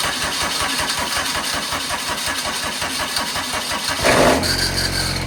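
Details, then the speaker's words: 2014 Kubota ZD221Z diesel zero-turn mower, cold start after six months neglected before maintenance: rhythmic cranking pulses for about four seconds, then it catches and settles into an even idle. "So let's go ahead and start. 6-month cold start. Let's see what she'll do."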